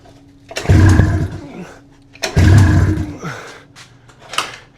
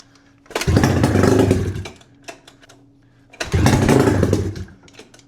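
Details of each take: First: 600cc two-cylinder two-stroke snowmobile engine on a go-kart, long sitting with cracked cylinders hopefully repaired, run without exhaust: two long labored cranking bursts with low churning and no catch, kill switch left on; owner unsure of spark. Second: 600cc two-cylinder two-stroke snowmobile engine on a homebuilt sidewinder go-kart, restarted after sitting in a barn with cracked cylinders/heads repaired, running on bad brown fuel; loud raspy revs in three bursts dropping to rough idle, picks up cleanly; little smoke, oil delivery questionable; normal running.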